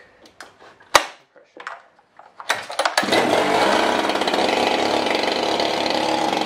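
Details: Husqvarna 395XP chainsaw fitted with a 58 mm big-bore piston and cylinder kit, tuned to about 11,800 rpm wide open and about 2,900 at idle. After handling knocks it fires and holds a steady, high-pitched buzz with no hunting, sounding healthy.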